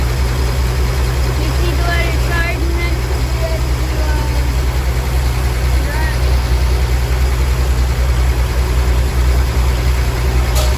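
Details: 1962 Willys pickup 226 six after sitting about two years, carb rebuilt: deep, uneven rumble with a loping idle that never settles while cold, and it smokes. Still running rough.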